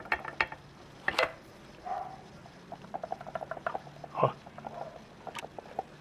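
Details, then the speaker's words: Small irregular clicks and knocks as a removed front-right control arm is rocked by hand. The ball joint has gone loose in its housing, and the arm is being replaced with a new aftermarket one. "Então esse aqui ele bate, ele faz esse barulho, ó."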